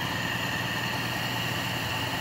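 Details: Toyota 5K engine during tune-up (valve clearance, ignition, spark plugs, carburetor repair), carburetor air screw adjusted for steadiest rpm: steady, even idle with a light hiss, no knocks or misses. Normal idle.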